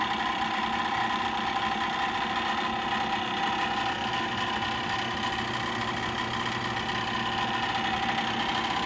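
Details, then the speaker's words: 2010 Bryant gas furnace inducer motor/blower, recorded at the direct exhaust vent: fast steady clicking like a card in bicycle spokes, echoing through the vents over the inducer hum; owner suspects motor ball bearings, unconfirmed. "you can hear it sounds like there's a card and spokes of a bicycle that noise is uh obviously echoing throughout the exhaust pipe"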